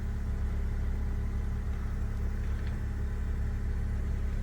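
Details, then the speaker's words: 2015 (65 plate) Fiat 500 petrol, Cat S auction car listed as "engine noisy": quiet, even low idle, no tapping or misses; owner says it isn't noisy, later drives fine with temperature halfway; healthy. "again doesn't sound noisy that's not broken that's weird I would not say that was engine noisy but it's running that's the main thing"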